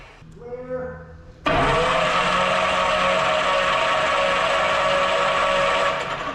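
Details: 1964 Aero Commander 680 FLP, 800hp, that sat 20 years in a hangar: steady starter whine as the engine turns over smoothly with no firing, grinding or binding. It cranks normally with plugs out.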